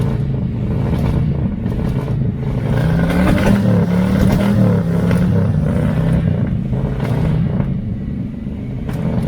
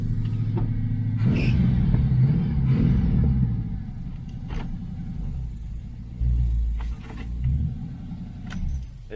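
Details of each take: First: 1982 Chevy El Camino, V8, carburetted, dual pipes, long stored, cold start: lumpy stumbling idle that clears somewhat when blipped; owner suspects the carburetor, possibly timing slightly off. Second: 1982 Chevy El Camino, 350 V8, carburetted, after a short drive: deep, even idle burble with no stumble or hunting; owner still suspects a carburetor problem and timing slightly off.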